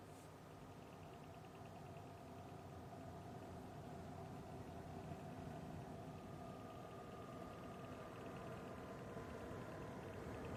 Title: Sunet ciudat din PC / strange noise from my PC